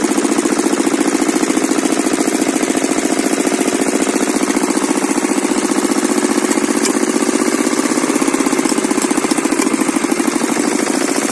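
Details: Kirloskar single-cylinder diesel engine, which had been cutting out while running, gives a rapid, regular putt-putt at steady speed, firing evenly with no stumbling or knock; it sounds healthy.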